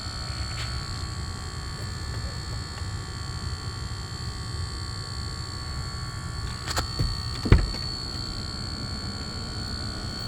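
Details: Lucid car sitting still: faint steady electrical buzz over a quiet background, persisting without stopping by itself; origin unknown, reset via logo reset attempted.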